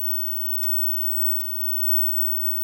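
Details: 25-inch Hantarex Polo arcade monitor chassis from a Revolution X, with vertical collapse and a very bright image even at minimum brightness and contrast: a thin steady high-pitched whine over faint ticking; cause not yet found.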